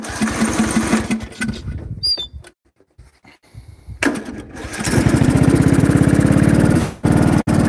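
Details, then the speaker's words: Briggs & Stratton 16hp single-cylinder with cooling shroud off, at full throttle: fires and chugs unevenly, revs up, sags, then dies; no power and frequent stalling, cause unknown: engine losing power and stalling. "So, that was full throttle. As you heard, it revved up, kind of revved down, and then revved all the way down until it died."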